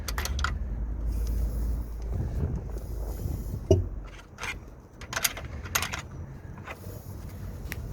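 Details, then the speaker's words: Timing chain rattle on a Caravan idling engine: failed tensioner at max adjustment lets the chain go slack, giving loose metallic clattering and jangling on top of the idle. "if your tiring chain tensioner fails on your Caravan this is what it does when the clocking you hear this is what you're hearing"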